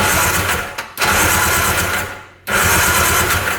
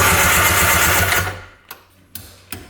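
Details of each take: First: 1995 Tigershark Monaco jet ski (640cc, 67 hp), not run in over 20 years: fast, even cranking bursts after the sticking starter was freed by tapping it with a punch; it now turns over well and blows oil out. Owner suspects stuck rings. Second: 1995 Arctic Tigershark Monaco 640cc jet ski, unrun 20+ years, engine not seized: fast rhythmic cranking for about a second, then cuts to a few isolated clicks; starter sticking intermittently, works after tapping it with a punch.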